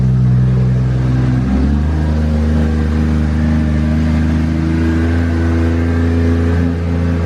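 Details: 1.5JZ engine first start after displacement was changed in the tune: a strong, steady low rumble that climbs smoothly to a higher pitch and holds even with no misses or knocks. A healthy, smooth-running engine.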